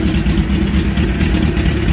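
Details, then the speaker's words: Suzuki GS850G cafe racer, cold, choke held by hand: smooth, even low rumble with a steady fast-idle beat, no knocks or misses. Normal cold idle on choke. "it does run well. It sounds good."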